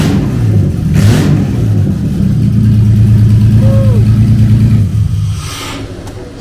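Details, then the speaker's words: Jeep Liberty first start after fuel tank relocation: deep, heavy drone swelling with revs, far louder than normal, like a derby car; excessive noise, cause not pinned down. "like a dang on derby car way too loud and holy cow"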